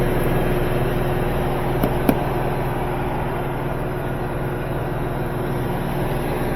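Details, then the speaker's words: Samsung front-load washer after replacing worn shock absorbers, which caused off-balance and poor water extraction (control board already changed, pump suspected); next-day test, drum spinning wide open with steady low hum, no banging. Normal spin. "But now it's spinning wide open. Very smooth."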